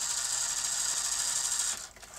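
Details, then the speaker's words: Sony Betamax SL-T30ME front-loading video recorder trying to eject/load: high thin motor whir labouring then cutting out abruptly; loading clutch slipping with lack of torque throughout the cycle. "it's struggling all over the place so there's a definite loss of a clutch drive here"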